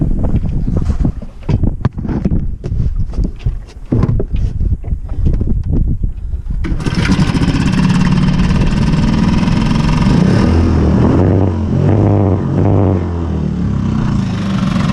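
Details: 5hp Mercury outboard after repair: a few rough pulls and splutters, then it catches and runs on at a steady, even idle with no misses; running normally.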